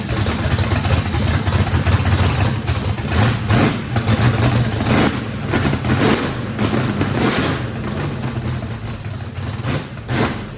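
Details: Brand-new drag-race motor with a radical camshaft, first fire-up, choppy galloping idle loping about once a second, no misfire, knocking or blow-by. Overlap and lobe separation needed lots of throttle, blade about six percent open; normal lopey idle.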